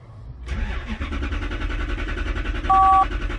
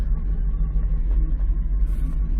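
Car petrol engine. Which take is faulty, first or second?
first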